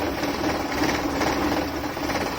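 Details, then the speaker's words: 1997 Maruti 800 carbureted engine at idle: fast, uneven chatter over steady drone with heavy shaking vibration and misfiring; reduced by turning the carburetor fuel adjustment screw anticlockwise. "Engine வைப்ரேஷனை பார்த்தீங்கன்னா உங்களுக்கே தெரியும் எவ்வளோ ஷேக் ஆகுது. பயங்கரமான engine vibration இருக்குது."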